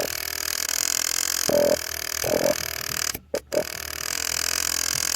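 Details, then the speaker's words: 1989 Honda CBR600 restoration, carbs cleaned, ignition switch swapped, battery fitted, ignition on and engine stopped: short sub-second buzzing bursts, the fuel pump trying to prime, somewhat noisy. "and I've got the starter to work, so we see. And that noise is just the fuel pump trying to fire."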